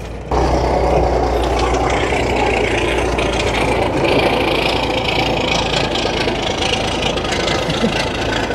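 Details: 1981 GMC Astro cabover Big Cam diesel, parked since 1991 and revived: steady low rumble with an even, unbroken beat and no knocks or misses; idling normally, though it still needs a clutch.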